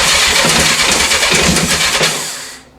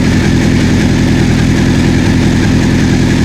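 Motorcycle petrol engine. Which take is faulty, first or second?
first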